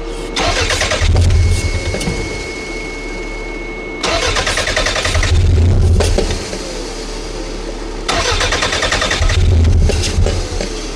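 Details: Toyota MR2 towed in not starting after a shop fixed its timing issue, torn vacuum hose found: starter cranks steadily in three long bursts but never catches; crank, no start, suspected fuel issue with no pressure building.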